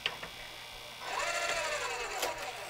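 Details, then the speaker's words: Sony SLV-N700 VHS VCR before repair, with a cracked gear found and the tape spilling out: soft clicks, then a rising whirring, rasping chatter from the deck as the mechanism binds; possibly another broken gear under the mechanism. "that doesn't sound good now let's see if it'll give it back it's going to give it back what's going to eat the tape in the process maybe another broken gear on the bottom of the mechanism"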